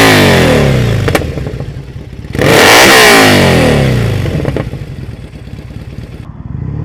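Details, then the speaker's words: Triumph Bonneville SE 865 fitted with aftermarket D&D Predator silencers, much louder than the standard units; revs rise and fall with sharp cracks as the throttle closes. Exhaust popping on overrun. "she's definitely low down there's a wee bit of popping on the overrun you can hear as well"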